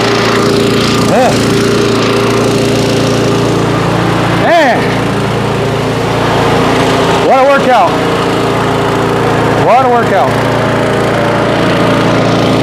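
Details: Auto-choke single-cylinder mower, stored 5 months on ethanol-free fuel without stabilizer, about 30°F, finally started after roughly 30 pulls; owner suspects auto choke caused hard start: steady fast beat with a few brief dips; normal running.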